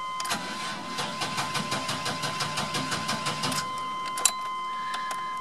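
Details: 1997 Chevrolet Astro after fixing an eBay fuel pump whose hose had separated from the pump head: starter cranks evenly about three seconds, then catches and settles to a smooth steady idle; normal start.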